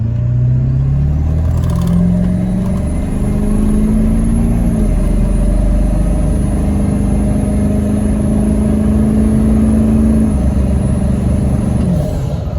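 Steady engine drone with a few light blips of throttle and no knocking or misfire; the quad is running normally.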